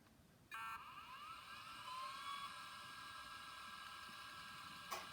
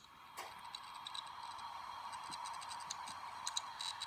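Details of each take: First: Compaq OEM Conner hard drive with missing screws, tested on power-up: a smooth whine climbs as the platters spin up, then holds steady with one soft click and no grinding; the drive sounds healthy. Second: Hitachi Travelstar 80 GB laptop hard drive, tested on adapter: faint, irregular sharp ticks over a soft whirr, never settling into normal spin; drive reads bad.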